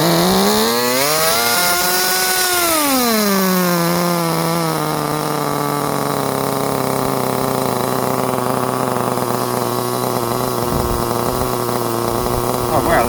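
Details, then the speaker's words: Tamiya TR15 RC car with small glow engine, fully restored, first start in 20 years on propane-charged setup: revs up, drops back and settles into a steady, even high-pitched buzzing idle; sounds healthy, normal running. "Right here we have the TR15. Got it started after 20 years, which was amazing."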